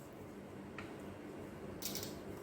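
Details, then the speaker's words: Bench test of a car starter relay (pins 85/86 coil, 30/87 contacts), battery supply applied to the coil: two crisp light clicks about a second apart as the contacts close and open; the relay switches normally. "Relay coil किंवा relay जो okay आहे की नाही हे बघण्यासाठी आपण असा आवाजानं check करू शकतो. तर कॉन्टॅक्ट होताना आणि कॉन्टॅक्ट तुटताना आवाज येतो, असा आवाज येतो."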